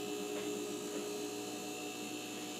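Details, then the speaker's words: A refrigerator plugged in with a Supco 3-in-1 start device fitted: a click at start-up, then a quiet, steady hum with fans and compressor running normally and not shutting off. "sounds like it's starting up clicking noises yeah that sounds like a refrigerator compressor running"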